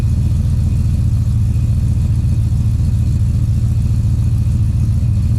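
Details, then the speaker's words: 2013 Chevrolet Silverado (GMT900) after 6.2L V8 swap, break-in period before break-in oil change: deep, even V8 idle with steady low rumble, no ticks or knocks; nice and quiet, holds oil pressure, no problems seen so far. "I'm not seeing any problems with it so far. It's nice and quiet, holds oil pressure, all that."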